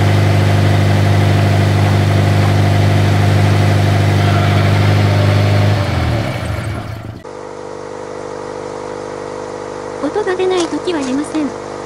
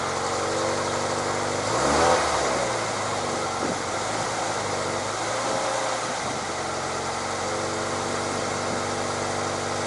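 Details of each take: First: Toyota 86 / Subaru BRZ, about 7 years old: rough, buzzy キリキリ rattle from the exhaust near the catalyst at startup and when revving; two exhaust mounting bolts had fallen out, leaving the pipe loose; fixed by installing new bolts. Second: Toyota 86 / Subaru BRZ, about 7 years old, after refitting two lost bolts holding the exhaust pipe near the catalytic converter that had caused the noise: engine started, even idle and brief blip, no rattle or tapping; exhaust noise fixed.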